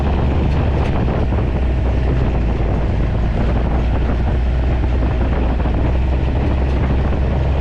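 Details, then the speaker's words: 2011 or 2012 John Deere Gator XUV 855D diesel on a test drive after new motor mounts and foam in the clutch housing: steady, even low drone with no rattles, clunks or knocks; quiet and healthy. "this thing's really quiet that's awesome"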